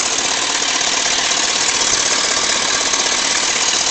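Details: Engine at operating temperature, idling: a steady sharp knock of about three beats a second on the driver's side. Internal knock of unknown source.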